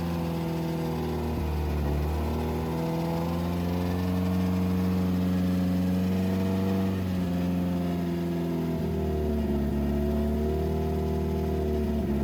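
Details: 2007 Subaru WRX with STi engine swap, first official startup after install, run around 2500–3000 rpm for about 15 minutes to break in; smooth, even raised-speed hum with gentle pitch shifts, no knocks or misses, healthy.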